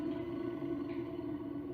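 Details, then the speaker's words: Washing machine that is noisy on spin: motor removed with belt taken off, spinning with a steady low hum and a rough, gritty edge from the motor bearing. Worn motor bearing. "barulho aqui, ó, no rolamento. Vou tirar do motor. Também barulho aqui no rolamento."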